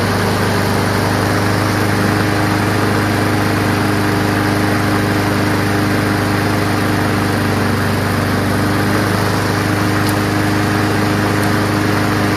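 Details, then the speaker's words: Honda Quadra Blade GCV160 RWD self-propelled mower, a curbside find, started on fresh gas with oil full and good compression on the pull. Steady, even putter with a constant low drone, no knocks or misses; normal running. "give it a pull and see what happens sounds good when you pull it though you know good pack"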